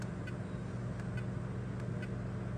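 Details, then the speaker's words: Rheem generation five hybrid heat pump water heater, ambient about 90°F, compressor ramping up while amp draw is checked: steady low hum with constant drone, no knocks or rattles; compressor running smoothly, discharge 115°F, suction 86°F. "current amp draw we're going to give this thing a minute to ramp up here"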